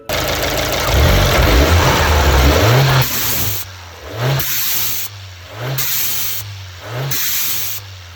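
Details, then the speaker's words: Fiat 124 Spider Abarth turbo with Forge atmospheric blow-off valve, after massaging out the kinked vacuum hose: four revs, each lift-off followed by crisp short hiss; blow-off valve venting properly after fix. "looks like that was the issue now as we can see it's not pink anymore i kind of massaged it a little bit nothing too crazy but i massage it up a bit and now it's venting properly"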